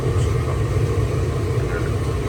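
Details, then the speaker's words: LG gas dryer that would not heat, after replacing the faulty gas valve solenoid: steady low rumble of the tumbling drum with an even burner roar, no clicking or cutting out; burner lit and heating normally. "you actually have no idea just how relieved I am that that actually worked"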